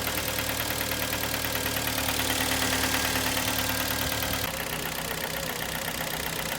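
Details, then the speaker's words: 2011 Kia Sportage 2.0 G4KD, cold idle. Steady hollow knock about three times a second. Endoscopy shows scored cylinders with aluminium transferred from the pistons: piston slap knocking when cold. "но это g4kd вижу холодный лапы штук барабаны она стук на холодную"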